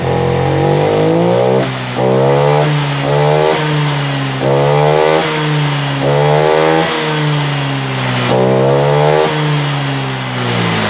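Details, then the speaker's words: Honda Vario 125 LED scooter after fuel pump filter replaced: each throttle blip still sags and stumbles before revs climb, hesitation unchanged, fuel pump pressure very weak. "hai oke kawan-kawan ternyata permasalahannya Tetap sama seperti yang tadi masih merebet Hai responsifnya kurang pados"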